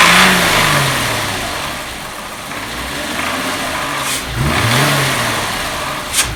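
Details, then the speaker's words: 2001 VW Jetta 12-valve VR6, before intake manifold shift rod replacement: engine blipped up and back twice with a dry clatter riding on the revs; worn shift rod clacking, possibly also behind throttle hesitation. "[Applause] okay now that clacking noise and take shifter rod and the hesitation when i hit the gas also should be intake shift to run but i'm not going to speak too soon"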